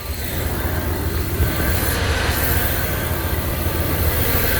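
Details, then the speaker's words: Truck after replacing a warped idle air control valve (suspected vacuum leak): steady, even low idle with no stumbles, misses or hunting, settling after starts. Normal idle after the fix; rough idle and stalling hopefully cured. "so there you go as you can see she's purring hopefully this holds up"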